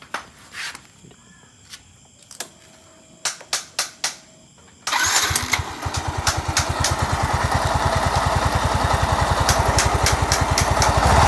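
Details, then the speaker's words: Yamaha Mio S 125 scooter with CVT cover removed: after a few clicks the engine starts and idles with a rough, snoring growl from the CVT/gearbox area, traced to worn CVT pulley bearings. "dan ini ya ini ada bunyi kasar di bagian Speedy dan punya ini seperti bunyi ngorok gitu ya teman-teman"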